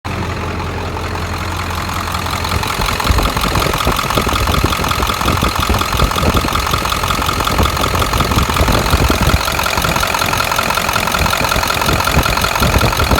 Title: 7.3 Ticking noise